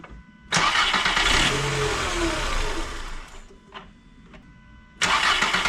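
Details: 1999 VW Golf MK4 that had P0300/P0302/P0304 misfires and wouldn't start or idle, after replacing the bad mass air flow sensor: quick crank, catches at once, revs cleanly, settles and shuts off; starts and runs fine.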